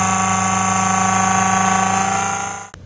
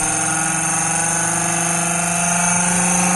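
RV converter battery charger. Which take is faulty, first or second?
first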